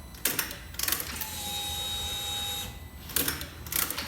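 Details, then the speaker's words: Salvaged car rebuilt as a custom kit car, first power-up: a few clicks, then a steady even whir for about a second and a half, the fuel pump priming normally with ignition on. "You hear that fuel pump? Is that the fuel pump? I believe so."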